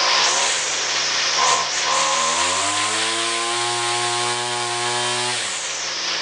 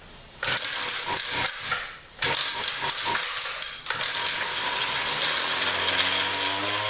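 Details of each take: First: XT200 two-stroke weed whacker after carb cleaning, rewind spring and air filter housing repairs: revs to a steady high buzz and holds cleanly, then drops back. Runs well. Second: 2-stroke weed whacker, a 200, after cleaning and remounting the carburetor and starting on full choke: sputters and cuts out a couple of times before revs climb and hold; initial throttle hesitation persists despite adjustment.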